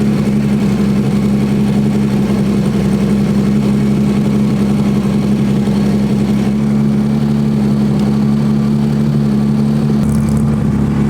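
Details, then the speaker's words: 2000 Honda GL1500C Valkyrie, carbureted six, mixture screws turned out to 4.5 turns: a smooth, steady idle that rises as the mixture is richened, with throttle response much improved. Shows the carbs had been set too lean. "The richer we make it, the better it wants to run. Throttle response has definitely improved."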